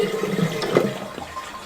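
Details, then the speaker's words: Toilet after repair, fill valve's dented rubber seal plug flipped and refitted: short rushing flush draining cleanly with no lingering hissing; the earlier sizzling noise is gone, confirming the aged rubber seal was the cause. "听一下声音，已经没有这个滋滋滋滋的声音了，可以确定就是因为这个皮圈老化导致的这种现象。"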